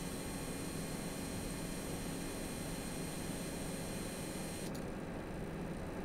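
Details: AMD Radeon RX 6800 (non-XT) graphics card in gaming load gives thin steady high-pitched coil whine over fan hiss, audio boosted; replacing the older PSU cured the whine.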